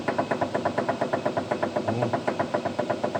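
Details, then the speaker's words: 2011 Kia Sportage, dry electric-assisted steering rack, shaft removed and worked by hand on lift: sharp knocks about four per second from worn rack bearings and bushings; rack to be removed, new bearings and heavy-duty bushings to be fitted. "А я вот покажу стук. Разбила подшипники на них."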